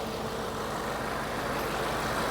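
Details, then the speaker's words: Audi RS7 with rebuilt engine just refitted, oil about 0.75 L short, coolant being topped up and checked for leaks: steady, even idle with a smooth continuous hum, no knocks, ticks or misses; normal idle. "sounds good. So it's sounding good so far. I'm now just going to leave it to idle for a little bit."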